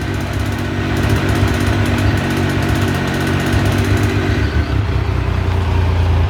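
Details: Triumph T595 Daytona idling: a fast, light ticking over the steady engine note for the first few seconds. The cause is unknown and is being asked about.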